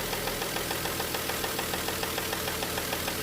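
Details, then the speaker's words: Warm petrol engine idling at about 700 rpm after oil pressure was restored: steady, sharp bottom-end knock about three a second, from cylinder 5 or 6; suspected rod bearing damage after clogged oil pickup starved the last journal, unconfirmed. "И где-то идёт штук либо шестой, либо пятый. Вот оттуда вот, допустим, прямо минимальные обороты. То есть давление мы нашли, но >> у нас появился стук."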